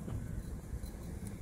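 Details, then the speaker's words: York gas pack rooftop unit, indoor blower fan running after startup: a steady rough low rumble with an uneven churning grind and no rhythm. Bad indoor fan bearings, at least one sharp, likely both to be replaced. "sounds like a bad bearing that's what it sounds like to me so it looks like we're not done with this one"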